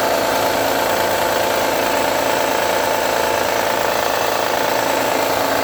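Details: 2009 Honda Accord V6 on a cold start: a fast ticking knock, three or four a second, over an even hum, gone after a few minutes warm; owner suspects a pulley or belt tensioner.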